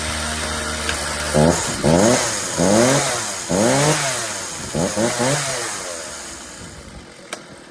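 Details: Ryobi RCS4246B chainsaw after carburettor mixture adjustment for flooding and dying when revved: blipped to high revs about five times, each rise clean and quick before dropping back; running acceptably.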